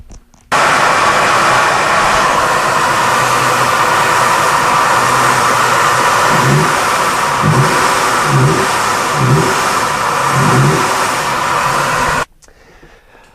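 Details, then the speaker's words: Car with low engine power, suspected restricted exhaust, heard from under the car: loud steady rushing hiss over the engine, swelling slightly with revs, exhaust gas forced past the exhaust flanges, also felt at the EGR valve. "again that sound that you heard that sounded like an intake leak I can tell you that from under the car that is actually the sound of air pushing past the flanges of the exhaust"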